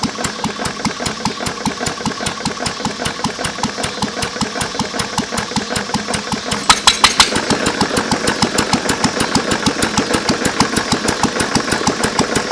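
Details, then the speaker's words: 1920s–1930s English Lister throttle-fed engine at low idle: slow single thumping about three times a second with sharp metallic knock each stroke; worn rod bearing ruined by water in oil from cracked block; bearing replacement planned. "that was our liser I mean besides the rod knock and in need a paint it actually is a good running motor"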